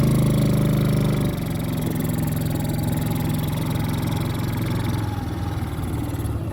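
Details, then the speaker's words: Four-wheeler in the family since new, neglected and sitting for years, running again after only fresh gas: engine pulls steadily, revs drop smoothly through a gear change and hold an even drone; drives and shifts well, brakes barely work. "Not only is she driving, she's driving very well. No. And they shift good."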